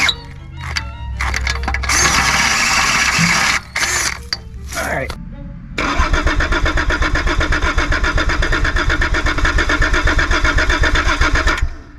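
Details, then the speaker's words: Abandoned Volvo 740 D24t turbo diesel with exhaust holed before muffler to test for blockage: steady cranking about four beats a second, no start; owner plans fresh diesel and refilling the filter. "still nothing but it's entirely possible that I'm just an idiot"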